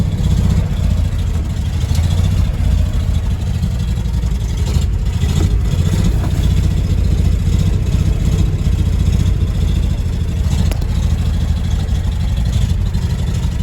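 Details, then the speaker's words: 1975 Ford F250 FE 390, 4-speed 4x4, cold start after 30 years: deep blatty V8 rumble with rough chuffing edge; owner suspects a bad exhaust — loud exhaust noise. "Sounds like it's got a bad exhaust."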